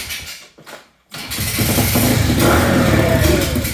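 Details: Pit bike rebuilt after crash (snapped frame), kickstarted after rear wheel alignment: after a couple of kicks the small single fires and settles into a steady, even popping idle; runs fine.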